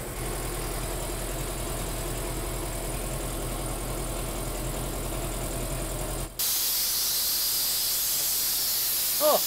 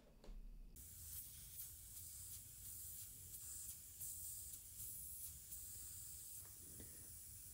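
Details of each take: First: New Polar Air Industrial Plus 7.5 HP compressor (Eaton), 120-gallon tank, first run: steady pumping drone cuts off abruptly into loud sustained hiss, normal unloader blowoff at cut-out, owner thinks around 140 PSI. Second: New Polar Air Industrial Plus 7.5 HP compressor (Eaton), motor off: steady sharp hiss of air escaping through a hole at a bad weld end on the tank, a factory defect found on first run.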